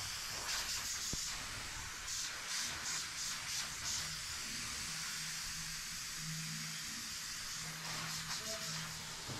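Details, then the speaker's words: Lochinvar FTXL 400 boiler during circulating pump replacement (old pump motor failed): water turned back on, quiet steady hiss over a low hum as the air separator purges trapped air from the supply pipe, then stops. "so you turn the water back on and the air separator is working cutting here is removing all the air which is"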